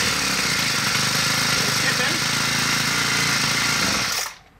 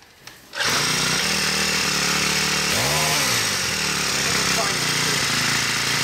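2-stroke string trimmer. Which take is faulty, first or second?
first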